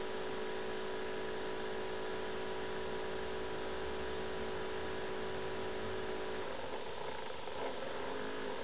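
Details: Acer Aspire 7730G laptop: steady loud whirring hum with constant tonal whine, no rhythm; the cooling fan runs abnormally loud, owner says it is not normal.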